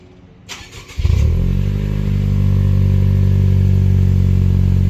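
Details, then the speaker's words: 2017 Honda Civic Sport Hatchback (10th gen, turbo, Stage 1 tune) just after an Invidia Gemini cat-back exhaust install: catches in about a second, quick rev flare, then smooth steady deep idle with no rasp, an OEM-plus, not-too-loud healthy exhaust note. "that sounds good dude that's pretty nice nice little OEM plus sound you know nothing too loud nothing too you know too cop attractive"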